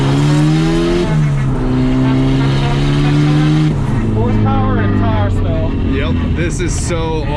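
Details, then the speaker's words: Turbo Mazda Miata on first drive after new tune, new injectors and wiring fixes; engine pulls cleanly through the gears, pitch climbing and dropping at each shift with no stumble, throttle response described as perfect; normal acceleration. "throttle response is perfect. Throttle tipping and everything is perfect. This is awesome."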